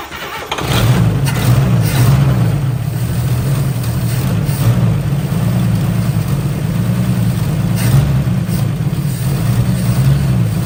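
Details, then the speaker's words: 1955 Chevy Two-Ten coupe parked 40 years, given a jump pack and starting fluid: brief crank, catches within a second and settles into a steady, even low idle with no misfire; normal start and idle. "all she needed was a little extra help on the battery thanks to the jump pack and some starting fluid and she fired up like she was started yesterday"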